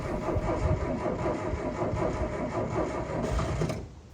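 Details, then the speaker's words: Abandoned 1980s Eagle SS kit car with an engine that later sounds like a Beetle: even starter churning for about four seconds, turning freely and not seized, but it never fires. "Well, it's not seized, which is a better start than the Nova, but no fire"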